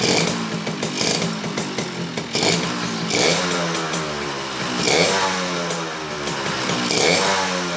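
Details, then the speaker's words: Suzuki Bravo (RC100) two-stroke after carburetor service and combustion-chamber cleaning revs freely, but a rough metallic rattle under the exhaust swells with revs: worn connecting rod needing replacement, not yet replaced; piston may be replaced too. "Namun di sini ada kekurangan ya teman-teman. Ada suara stang seher ya. Stang sehernya sudah bunyi, kemerotak ya."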